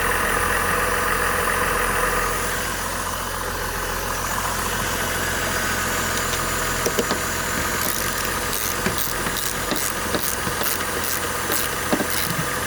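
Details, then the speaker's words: 2005 Buick Rainier after a misfire fix (cylinder 1 misfire, flashing check engine light, old original coil about 14–15 years old), codes cleared: a steady, even idle with no stumble or miss and light background clicks. Running smoothly. "Looks to be running smooth. So I can go ahead and put my tools up and test drive."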